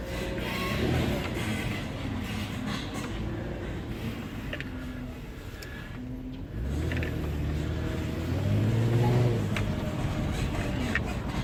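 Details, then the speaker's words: Porsche Cayenne suspension: low rubbery creaks and short squeaks as the body moves over a low rumble; upper control arms already replaced. "Так, ребята, сейчас мы послушаем, как скрипит эта тележка."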